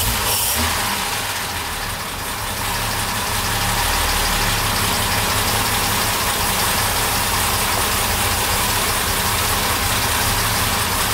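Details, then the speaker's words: Classic car with twin SU carburettors at steady idle, uneven and slightly lumpy with a hiss over it, running rough because one carburettor's mixture nut was turned in about one and a half turns, deliberately too rich for demonstration. "can already tell it's not running as smoothly anymore. So I'm gonna turn it back."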